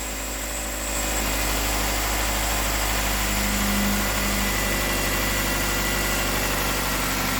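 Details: 2010 Nissan Altima 2.5 petrol idling steadily with an even low hum, no misfire or knock; the brief misfire after restart cleared as oil on the cleaned intake burned off.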